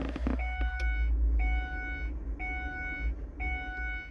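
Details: Ford Escape/Mercury Mariner hybrid with lack of power on acceleration, key on: two-tone dashboard chime about once a second over a low hum; code P0A81 high-voltage battery cooling fan circuit fault returns after clearing, fans to be replaced.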